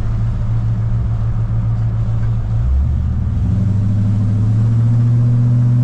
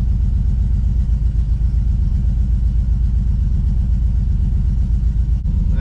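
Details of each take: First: GMC Squarebody truck with LS V8 on test drive after swapping the junkyard ECM for Holley Terminator X, which also fixed its misfire: deep, even rumble pulling smoothly, all eight cylinders firing; normal running. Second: GMC Squarebody with junkyard LS V8, after snugging up the spark plugs: heavy, lopsided low thumping at idle with one whole bank not firing; caused by a loose bolt on the ground wire at the back of the cylinder head.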